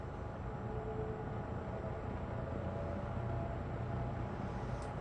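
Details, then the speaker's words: Lakewood P25 metal-blade window fan, nearly unused since bought around 2009–2010, on low speed: steady low whooshing rumble with a soft, even chopping from the metal blades; normal running. "I just love how you can hear that chopping sound. Those metal blades."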